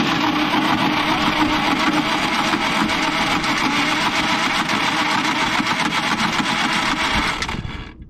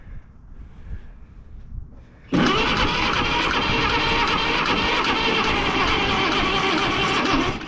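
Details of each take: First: Caterpillar D8H bulldozer sat 15+ years, engine had been full of water and sat at -6 for days: steady even cranking about four beats a second, no skipped strokes; compression sounds consistent, normal cranking. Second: Caterpillar D8H bulldozer sat 15+ years, gasoline pony engine on jump pack, water still dribbling from carburetor: loud steady chug at about three beats a second; slow cranking, unsure whether jump pack or starter is the cause.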